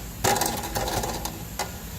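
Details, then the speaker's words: Minivan with stow-and-go seating, checked on a lift for clicking noises over bumps and turning: sharp uneven metallic clanks in bursts as parts underneath are pried and struck; something under the van is loose and rattling. "we're looking for squeaking we're looking for noise rattling noise oh guys y'all hear that"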